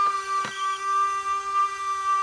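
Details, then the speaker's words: FMS F4U Corsair 1.7m electric RC plane on ground, gear retracted, flaps checked: steady high electrical buzz at one pitch from the flap servo stuck straining at a certain position. "see it's just the flap servo it just got into a certain spot where it was wanting to it was wanting to uh sit there and make that noise"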